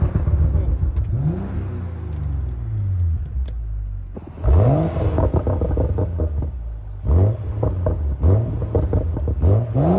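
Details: BMW M135i after full rebuild from a wrecked state: smooth, even rise and fall in pitch as revs climb and drop, no knocks or misses; healthy freshly rebuilt engine, normal revving.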